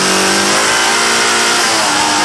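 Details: Hard-revving engine, microphone in engine bay, harsh metallic clatter over the revs; first suspected a bad lifter but turned out to be a rod bearing knock with cracked crankshaft.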